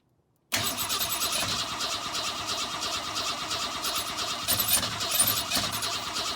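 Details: 1962 Ford Falcon inline engine, not run in 25 years, newly fitted carburetor, gas poured in: steady uneven cranking churn for several seconds, never catches; turns over but won't start. Timing later found way off, likely main problem.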